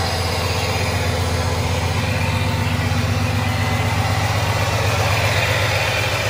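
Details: 2003 Ford F-150 Harley-Davidson edition V8 idling after an SCT BA2600 MAF install and ECM tune: deep, even idle with a steady low pulse of about four beats a second and no stumbles. No check-engine light. The owner notes an exhaust leak.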